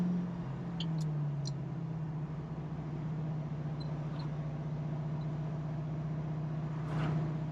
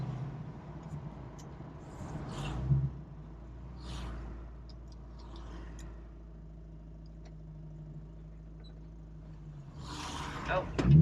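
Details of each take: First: 1968 Ford Mustang Fastback, 4-speed manual, in third gear with loud mufflers: deep, steady exhaust drone at one even pitch at light cruise with no misses, knocks or surging; running better than before. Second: 1968 Ford Mustang Fastback with 4-speed manual, learner driving: deep labouring low drone, engine barely turning and shuddering under load; lugging from too much clutch and too little throttle, described as pistons rattling.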